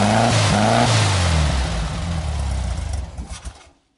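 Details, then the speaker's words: Freshly rebuilt air-cooled VW Fusca (Beetle) engine, first start on break-in gasoline: it revs loosely, then slows and dies, won't stay running; smoke from the exhaust pipes, possibly a leak, cause unconfirmed. "não conseguir manter ele ligado eu vou vir aqui eu vou dar uma acelerada boa nele para ver se agora a gente consegue manter ele"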